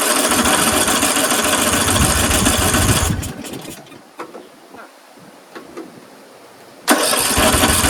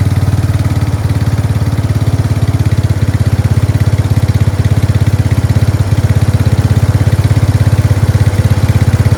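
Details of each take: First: Craftsman 13.5HP 30-inch rear-engine riding mower, off choke after a corroded carburetor was cleaned: runs ragged about three seconds, then sputters out with weak pops. Owner suspects loose valves; later traced to a collapsed fuel line starving it of fuel. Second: Craftsman 13.5HP 30-inch rear-engine riding mower started on choke after replacing a collapsed fuel line: single-cylinder engine thumps evenly at a steady idle with no misses or surging. Fuel starvation fixed; it runs healthy.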